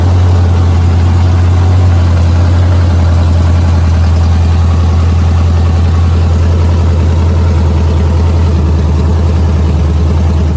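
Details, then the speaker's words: 5.7 Hemi with long tube headers, just reinstalled after a performance cylinder head swap: loud V8 idle with uneven puffing ticking on the exhaust pulses, an exhaust leak at the long tube headers. "As you can hear, I have a exhaust leak. The exhaust leak is at the long tube headers."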